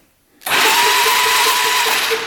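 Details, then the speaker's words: 1997 Polaris Magnum 425 6x6 ATV that wouldn't run, one quick electric-start crank spinning fast and even with no heavy thump per stroke; doesn't seem to have much compression. "electric start oh yeah it's turning over it doesn't seem like it has much compression"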